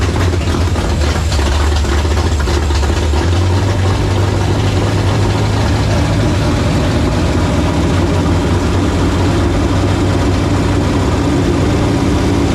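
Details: Fox-body Ford Mustang convertible with supercharger and rebuilt carburettor: loud heavy lumpy idle on choke with wandering rhythm; rough idle, owner suspects carburettor with something plugged in the mid-range circuit.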